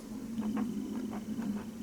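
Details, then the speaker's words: Large woofer with a discolored, possibly moldy cone: faint dry rasps each time the cone is pushed by hand, about every quarter second, over a low hum; scraping stops when the speaker wire is disconnected. Rubbing voice coil suspected, not confirmed. "if you can hear that definite scraping okay right here's the speaker wire disconnect it no scraping when I do this which I find rather bizarre"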